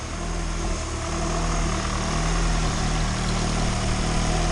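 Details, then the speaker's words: Turbo Honda engine in EG hatch, freshly installed, warming to full temperature for first heat cycle; steady even idle, no knocks or misses; no valve cover smoke, no visible leaks, slight audible vacuum leak suspected at a vacuum line. "this thing is running smooth. Mint! No more smoke out of the valve cover."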